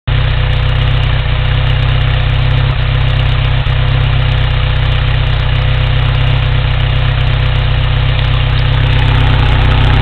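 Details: 1987 Toyota 4Runner 22RE engine at idle: steady low idle with slightly uneven, lumpy pulse about four times a second; possible misfire, not confirmed.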